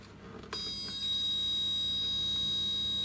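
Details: Kalk King reactor wet test with pumps in water, pH probe, mixer and float valve connected: startup test sequence gives a steady high buzzer tone, then a low even hum, with no rattle or grinding; quiet and normal.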